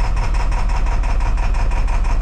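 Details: 7.3 Power Stroke in a 450 bucket truck that starts, runs normally 3 seconds, then idles rough with no power and no smoke; ICP only about 725 with the IPR commanded fully closed. Low uneven lumpy pulsing diesel idle; rough running blamed on two bad injectors.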